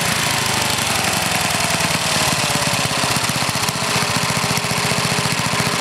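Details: Older Briggs and Stratton, one-piece Flo-Jet carburetor, air filter off: single cylinder runs ragged and uneven with a rough hunting beat instead of a steady idle; mixture screw turned in, idle too lean.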